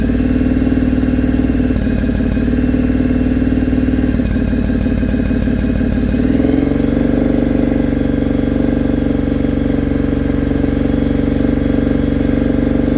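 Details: Engine after fitting a 2-into-1 exhaust, high-flow filter and jet kit, with carbs probably needing tuning: the idle stumbles with uneven popping and dropouts, and it still sounds ragged as revs rise; an intermittent engine misfire, rich/lean or ignition cause unknown.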